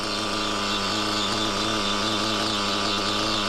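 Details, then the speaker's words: Used REDS R5T nitro RC engine running at high revs: screaming whine with a harsh rattly, hissing edge that persisted after changing the clutch bell; owner suspects a failed rear bearing. "I think it's a rear bearing so yeah I have to change your rea"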